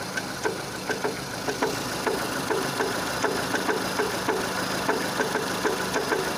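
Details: 2006 Renault Scenic 2, K4M 1.6 with automatic, 202,000 km, engine warm: sharp regular tick about twice a second over a quiet idle from low in the engine, a knock that appears as it heats up; cause undetermined.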